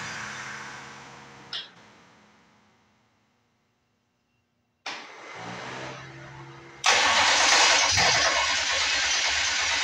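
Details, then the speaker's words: Detroit Diesel engine in a lawn mower project, first start after assembly with oil cooler bypass hose: cranking with restarts, then loud, rough running while building oil pressure; smoke on first start, cause unknown. "we building oil pressure that's always good just wonder about this smokeing in here huh"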